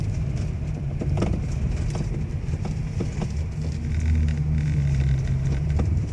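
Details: Toyota Alphard V3.5: irregular sharp knocks about every second over low engine and road rumble; steering knocking noise problem, a clunk somewhere in the steering.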